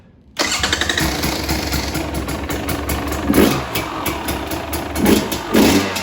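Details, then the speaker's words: 2020 KTM 300 XC-W two-stroke after switching to the softer map setting 2 by unplugging the connector under the tank, because the throttle hit very hard: catches at once, crisp idle, sharp clean throttle blips; sounds good. "So sounds good. That should put the map setting on the setting 2, which again is the softer setting from the factory, or not the factory setting, but the softer setting, which should soften up the hit on the throttle a little bit."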